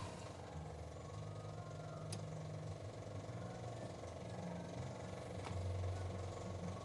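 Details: Suzuki Multicab, F6A carbureted 12-valve engine: drawn-out, uneven low churning cranking on and on without catching; long-crank hard start, base idle screw adjustment suggested as a possible fix, cause not confirmed.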